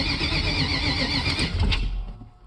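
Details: Project vehicle started through toggle switches for fuel pump, starter and ignition: rough starter churning with no catch or firing, fading after a couple of seconds; cranks but won't start, cause not confirmed.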